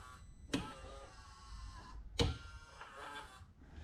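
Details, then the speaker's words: Can-Am Maverick UTV, neglected: front drive actuator gives two short electric whirs about 1.5 s apart with no clunk of engagement; 4WD not engaging, front driveshaft spins, owner suspects front differential, unconfirmed. "As you can hear, the actuator is engaging, or it sounds like it's trying to engage."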